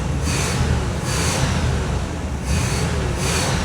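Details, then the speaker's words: Car with an electronic Quadrajet carburetor runs with the air cleaner off, the vacuum line capped, the electronics disconnected and the check engine light on. It fires first turn of the key and holds an even, clean idle with no misses or knocks. "It's running great with none of the electronics hooked up to it. Fires right up first turn of the key."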